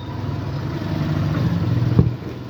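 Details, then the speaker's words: Suzuki Burgman scooter idling smoothly and steadily with a low, even hum after ISC calibration; it previously would not idle or start without throttle; engine speed now holds around 1600-1800 rpm, spec about 1700. "Okay and then tingnan natin sa ating diagnostic tool Yung kanyang idle kung stable na Okay so yan so naito Yung kanyang engine speed mapansin niyo Naglalaro na lang siya sa 16 17 yan h 18 y"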